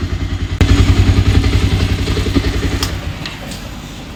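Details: Bajaj Pulsar 220 BS6 single-cylinder, brought in for a bad engine noise, refitted and started in neutral: crisp beat at about 3.5 pulses a second, no clatter or ticking, then winds down. Sounds healthy.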